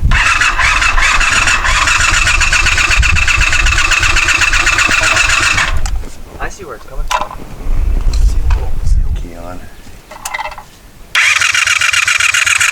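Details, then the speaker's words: 1984 Honda VF500F Interceptor after carburetor rebuild, fresh ethanol-free fuel, fuel leaking from carbs: starter spins steadily with a whirring drone but never fires; crank no-start, possibly from swapped spark plug wires, with a carb float bolt screw possibly loose. "okay so there may may or may not have been a screw loose on one of the carb float bolts and the spark plug wires may or may not have been on wrong"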